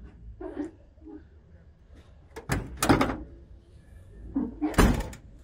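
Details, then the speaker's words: Chevy truck door swings and shuts with soft thumps and no squeal or creak after lubricating the hinges with PB Blaster. "see that no more noise over here so much better dude"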